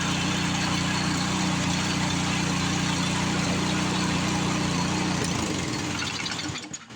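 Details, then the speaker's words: Power Smart 26-inch snowblower single-cylinder engine after cleaning out bad fuel. Steady, even run with no misses or knocks for about five seconds, then it shuts down and spins to a stop. "But one good thing is, it does run correctly, as you can see."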